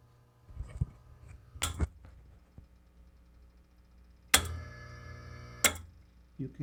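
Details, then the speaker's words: Rancilio Silvia espresso machine, Ulka EP5 pump: short bursts of steady buzzing hum with three-way valve clicks; pump powered but moving no water; suspected shorted coil or broken piston spring sticking the piston, pump to be replaced. "you can hear the three-way valve clicks uh there is power to the pump because it makes Hamming noise but either the electrical coil is shorted or one of the Springs which are located on both sides of the Piston is broken and the Piston is stucking on one side and it doesn't move freely"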